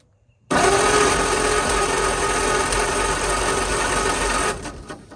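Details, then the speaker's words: 1940 or 1941 Ford truck, flathead V8, sitting about 50 years, first start attempt with coils, plugs and wires fitted: starter churns steadily about four beats a second for four seconds, never catches; owner wonders about compression, a plug wire fell off, spark uncertain. "looks like I was wrong I wonder if she just don't have any compression or something she didn't even try"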